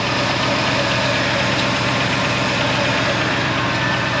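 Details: Old Ford F-150 just started after 45 tries at about minus 25 to minus 40, with the block heater plugged in: steady, even idle over a hissy background, no stumbling; normal cold idle after a hard cold start.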